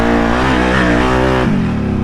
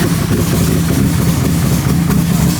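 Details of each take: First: Sunk-and-revived Outlander quad, warmed up, pulled hard in two-wheel drive; strong, clean rise and fall in engine pitch, no hiccups in throttle response or misses; engine sounds healthy. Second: Outlander quad after being sunk in water, restarted in the garage; uneven, lumpy idle with an irregular beat around three per second before it cuts out; owner suspects water still in the fuel.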